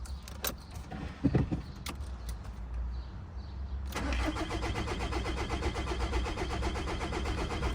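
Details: 2003 Audi A3 1.9 TDI that sat through winter in the cold, with a battery brought along to revive it: clicks and handling noise, then it cranks and catches into a steady, even idle. It starts normally.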